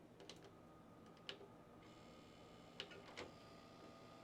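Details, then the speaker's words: Original Xbox disc drive: scattered clicks and thin motor whir while the tray fails to open, stuck; deformed tray drive belt blamed. "I mean, sounds like it's stuck to me."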